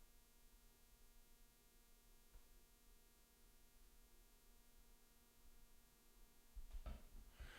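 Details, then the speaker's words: DIY VCO oscillator's sawtooth-to-triangle output: a quiet, low, steady buzz with many stacked tones during troubleshooting. "Okay, I think you should hear the annoying buzzing sound. It's actually quite low."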